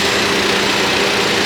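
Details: Volvo engine at hot idle, about 400 rpm, during a BG engine performance treatment: a fine, fast valvetrain-type tick over the engine hum, source not pinned down; the tick remained and the oil was very black.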